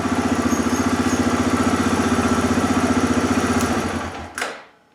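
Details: 2007 Arctic Cat ATV 400 engine with steady, even thump at idle, no stumbles or misses, then clean shutdown; after sitting a year and a half, fixed with carburetor cleaning and a new spark plug.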